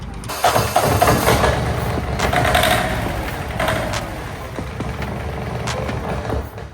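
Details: Cranking 1984 Peterbilt 359 diesel with an uneven, loose, irregular churn and no firing.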